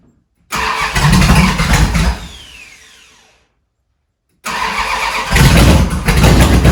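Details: Cold 1971 Dodge Charger Super Bee 383 Magnum after a valley pan change for a suspected intake leak: cranks, catches with a ragged uneven idle, dies and is restarted. Hard start and rough running; owner suspects it's just cold, or the timing is out again.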